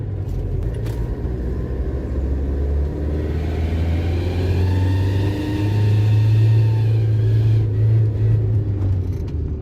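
Engine rumble builds and grows louder and harsher as revs climb, a blowing roar from an exhaust manifold gasket leak.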